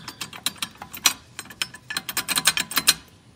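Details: 2016+ Mazda MX-5 (ND), engine off: tinny metallic clinks in uneven bursts from the riveted damper at the back of the transmission that comes loose, a likely source of rattle when slowing or at idle.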